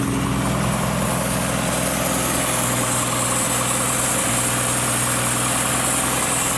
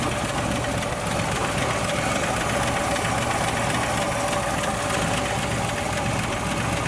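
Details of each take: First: 1962 Ford Falcon with original Holley carburetor just installed; idle slightly uneven and loping over a steady hiss; vacuum leak found on top of the fuel pump. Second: 1962 Ford Falcon with original Holley carburetor refitted, after fixing a vacuum leak on top of the fuel pump: constant idle, no whistle, hiss or surging; idle may still need adjusting.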